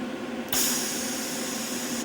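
A steady, even hiss switches on sharply and cuts off after about one and a half seconds; the shielding gas is flowing properly.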